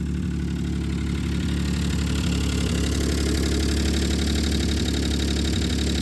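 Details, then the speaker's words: 1995 Plymouth Voyager 3.0 V6, hot, idling high with suspected vacuum leak: hard, even knock about four times a second with squeak; suspected rod knock from spun bearing, not confirmed. "Kind of sounds like a rod. That's a rod. That's a rod. That's you can hear it squeaking. It's got a spun bearing in it."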